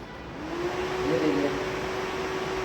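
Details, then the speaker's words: Jawa Classic motorcycle with overheating, radiator fan not working, after diagnostic-tool and multimeter checks: fan now switched on, steady even mid-pitched whir over soft hum, no rattle or wobble; radiator fan fault fixed. "जैसे ही हम यहां पंखा चालू करते हैं। यह देखो। हमारा पंखा चलने लगा है।"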